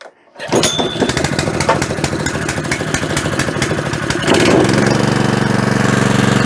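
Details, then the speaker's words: Honda GX200 petrol generator of unknown condition, primed and started on full choke: fires after a short crank and settles into a steady, even single-cylinder chug with clean exhaust; healthy running, owner reckons it would have started first pull. "that went beautifully I reckon it actually would have started first pool but I had the choke on"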